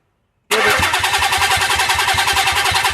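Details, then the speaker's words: Nissan 300ZX (fuel pump priming) cranking evenly at about three and a half turns a second after brake-clean shot, never catching; crank-no-start with no spark, coil packs suspected bad. "Okay, so we're crank no start. Probably don't have spark."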